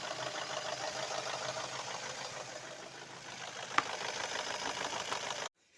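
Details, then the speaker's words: Chevrolet Cruze F18D4 petrol engine warmed up, idling: fast, light metallic clatter from the top of the engine; mechanic suspects the camshaft gears rattling rather than the hydraulic lifters; cause suspected, not confirmed. "тачка запустил прогрелась до винта это стук идет Не от компенсатора это сами шестерни распредвалов гремят"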